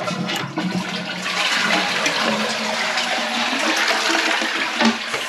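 A strong rushing flush with steady gurgling water that refills evenly; the cistern is flushing properly with no hiss or stutter.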